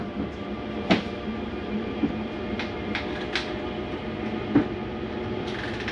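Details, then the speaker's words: Prowler 303BH travel trailer, slide-out retracting with cabinet doors closed, mechanism on the bottom of the slide: low motor drone with sharp clunks and clicks at full retraction; normal end-of-travel noise of the slide mechanism stopping itself. "Once you hear that noise, it's okay to hear that. That's the slide mechanism keeping itself from coming in too far."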